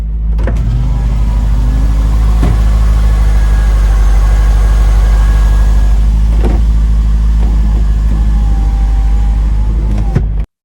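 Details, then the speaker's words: 1998 Corvette C5 V8 project at idle: deep, even low rumble holding steady with no knocks, misses or ticks; healthy idle. "but we are getting there it's getting exciting listen to it Rumble can you hear"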